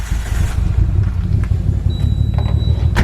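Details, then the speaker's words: Nissan R33 Skyline with a misfire, tested cylinder by cylinder: uneven, lumpy idle with an irregular stumble, and the note changes at cylinder five. Missing traced to bad spark plugs. "once again the note has changed right here so cylinder five will make a difference yes it does"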